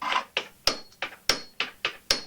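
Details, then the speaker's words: 1974 Norton Commando gearbox, primary drive and belt removed, cover off, mainshaft unsupported: sharp evenly spaced metallic ticks about three a second as the clutch is rotated, investigating a clunk on kickstart and in gear; cause not yet found. "Um, but rotating the clutch still makes the ticking sound."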